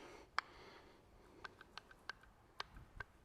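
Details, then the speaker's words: Front axle on a Spidertrax-axled Jeep, partly disassembled: light, irregular metallic clicks as the loose shaft is moved by hand, slop in worn CTM 300M U-joints that need rebuilding, worn from the front end always spinning. "I can hear that little bit of clicking is a little bit of slop in those joints those are ctm joints 300M super beef cake stuff but they do need rebuilt every now and then"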